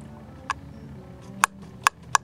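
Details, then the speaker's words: Honda Dio 120cc race build with a larger carburetor and a modified throttle: four sharp, isolated clicks as the throttle snaps fully open and the slide tops out in the carb, as intended. "okay you hear that clicking sound that clicking sound is something I've never heard before that is and you can see how well the throttle works it's a beautiful throttle I made it work"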